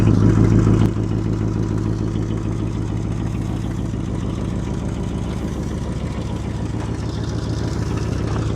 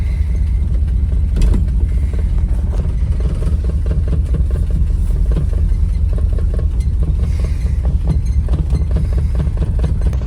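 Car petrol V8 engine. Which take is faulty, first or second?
second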